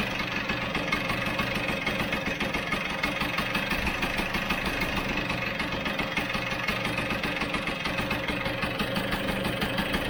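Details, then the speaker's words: Vespa GS150 two-stroke, warm, cowling off, carburettor air screw turned in about two turns: a buzzy idle with an uneven beat, speeding up and slowing, with spit-back and occasional skipped firings. The air screw setting is incorrect. "two did you hear that speed up and throw down again hear that yeah see that going faster slowing down feel the spit back as well"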